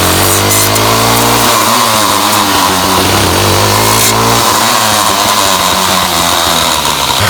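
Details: Ryobi 705r 31cc two-stroke line trimmer, head won't spin after brush cutter use: engine revs up and down with buzzy uneven note and rattle, no head load, consistent with a broken drive cable.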